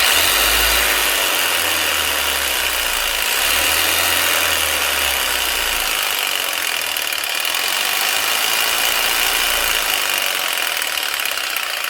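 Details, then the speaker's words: Makita 4300BV jigsaw after guide-wheel repair, running: a loud, steady, high-pitched motor buzz with even blade chatter, no oscillation, and variable speed set in the switch; normal running. "Very basic, but very powerful. Extremely reliable. These things rarely fail and they literally last a lifetime."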